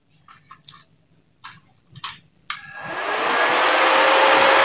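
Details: RYU RII120-2 450-watt IGBT inverter welder under repair for blinking power light and slow fan, switched on to measure output voltage: a few clicks, then steady airy fan whoosh spinning up within a second; fan running normally.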